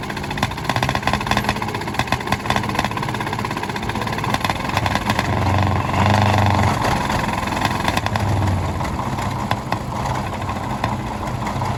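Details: 1951 D8 2U dozer, sat in a barn since about 1990, whose big motor was stuck, fired; loud, lumpy diesel chug of about 140 beats a minute, running steadily.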